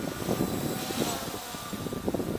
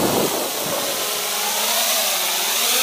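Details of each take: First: MJX Bugs 3 quadcopter on a 3-cell (3S) battery instead of the stock pack, at full throttle: an even, buzzy propeller drone holding steady with no surging and no oscillation, much stronger than on 2-cell. Normal motor sound at full throttle. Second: MJX Bugs 3 drone on a 3S battery: its high-pitched motor whine wavers and pulses when the throttle is kicked, an audible oscillation or judder in the motors (cause unconfirmed).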